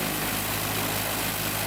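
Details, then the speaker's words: Piper Cherokee engine, less than half its life used, not flown for several years but started regularly, starting after a full restoration: lit off within about two blades into a steady, even drone with no misses, stumbles or knocks; it runs smoothly. "So I mean, just a couple seconds, and that engine lit right off like it had been flying, and I mean, lit off and ran like a sewing machine."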